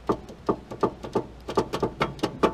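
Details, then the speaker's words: 2000 Honda CR-V: a rapid series of dull, hollow clunks, three or four a second, from a worn sway bar end link that moves excessively; new end links fitted on both sides. "it makes that clunk so that's the issue so i have new sway bar end links for both sides and we're putting them in and hopefully that clears our clunk"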